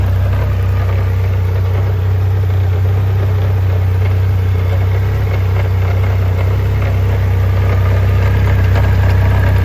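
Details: 2021 Triumph Rocket 3 GT: deep steady idle with a regular tick about four times a second over the rumble; an odd noise from the transmission, cause unknown.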